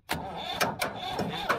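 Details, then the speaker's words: Old Ford diesel backhoe, sat for years, cranked with starting fluid: uneven cranking with a few sharp combustion thuds that never carry into a run; hard starting, cause not confirmed. "You hear how hard it's hitting? Oh, I hear it, man. Oh, she wants to so bad."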